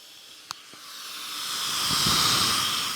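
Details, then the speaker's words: 1987 Porsche 911 Carrera engine on the bench, cylinder 5 (the dead cylinder causing a misfire) fed compressed air: a steady rush of escaping air; suspected cracked head, bent valve or bad seat; leaking exhaust valve. "it's either like a cracked head or a bent valve or a bad valve seat because that's a lot of air"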